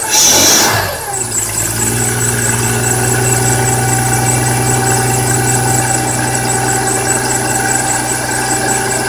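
After the start, a steady high squeal with a quick repeating chirp rides over the idle; source of the scraping not pinned down.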